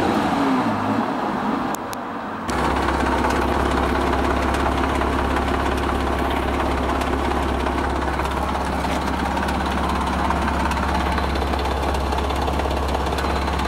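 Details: 2004–05 Porsche 987 Boxster 2.7L, 239 hp, at 94,139 miles: a steady idle with a busy metallic rattle at about three per second; engine rattle, cause unknown.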